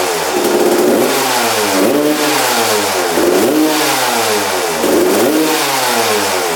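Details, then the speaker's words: Freshly rebuilt 1993/94 Suzuki RM125 two-stroke after returning the carb to stock (55 pilot jet, needle clipped in place, air screw 1.5 turns out). Revs climb and fall crisply with no stumble or bog, and it now idles. Running healthy. "yeah all right idles and everything"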